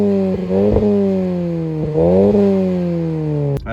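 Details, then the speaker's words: Car's new exhaust, fitted by a mechanic, replacing a setup whose catalytic converter had broken off from both sides of the pipe and caused pops; recorded outside: deep smooth rumble rising and falling with throttle blips, no rasp or rattle; normal exhaust note. "can hear it's way different because the last time before I put this exhaust on what happened was the cat of the converters was broken off from both sides of the pipe"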